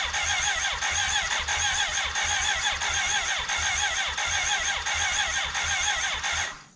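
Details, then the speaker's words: 1991 BMW K100 LT, 987cc four-cylinder fuel-injected, left sitting outside about 10 years. Crank no start: the starter turns it over unevenly for several seconds but it never catches. Later a cylinder-one intake vacuum cap blew off, dirt came out, and a valve was sticking. "hey this is ben from the present we cranked on and off over the course of an hour it almost wanted to start"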